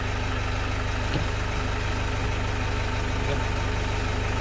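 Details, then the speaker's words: 2008 Toyota Fortuner diesel, now running after a repair cured the crank-no-start, instead of the pressure pump a shop blamed. Steady, even idle with a regular low thrum about three beats a second; no knocks. "Umandar na siya. Ligtas na yung 42,000."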